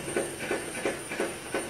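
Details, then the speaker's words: Ford Escape at idle: evenly spaced metallic knock about three per second that gets much louder, like a jackhammer, with the AC on and is loudest from the pan; points to a cracked flex plate. "sounds metallic inside the car too this is the AC off let's turn it back on AC on that's crazy sounds like a jackhammer"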